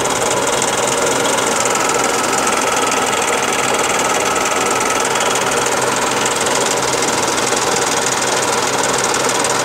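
Fast, steady metallic ticking and clatter sits over a thin engine note throughout; an unidentified knock from the engine.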